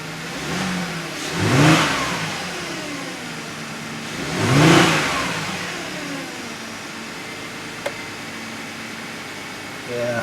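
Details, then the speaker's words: 2010 Audi Q5 at about 135,000 miles with a P0302 misfire, after new spark plugs: smooth throttle blips and a rock-solid idle with no skip. "this is uh this is more normal you got an idol there that's rock solid"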